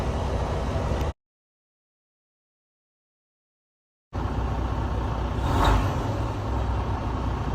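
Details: Freightliner Cascadia diesel after replacing faulty batteries for a no-start: steady low diesel rumble, even except a recording dropout; engine fires up and runs normally.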